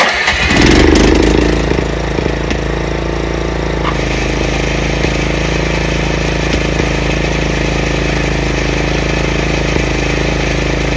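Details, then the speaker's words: Craftsman 30-inch rear engine rider mower, after the throttle lever and PTO repairs, with safety switches bypassed. The engine settles into a smooth, even run with the blades engaged, and the blades are barely audible. Normal running. "It's not like a regular lawnmower or lawn tractor that you can noticeably hear it go. This one goes. You can barely feel like the blades are on, but they are on."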